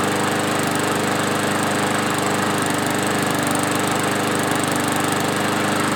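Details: Yard-Man push mower, previously surging after sitting at least two years, after carb cleaning, new parts and blade sharpening: steady single-cylinder drone at constant speed, no hunting or surging; holding revs, running smoothly.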